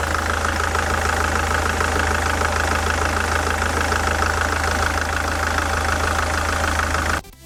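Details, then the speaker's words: SsangYong Kyron D20DT diesel at idle: a fast, regular knocking over the idle from the belt tensioner spring swinging back and forth; loud knocks heard through a stethoscope; roller off-centre, belt edge chewed. "Если вы заметили, вот этот натяжитель, вот эта пружина, она балансировала туда-сюда. То есть, когда я поставил стетоскоп на неё, там были просто оглушительные стуки, которые даже били по ушам."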